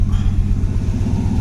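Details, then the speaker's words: Pontiac 400 V8 with Edelbrock intake and Chinese carburetor, idling in neutral at about 950 rpm wavering up and down; deep even lumpy burble with no knocks or misses, idling pretty good. "So yeah, she's idling pretty good, man. Pretty good."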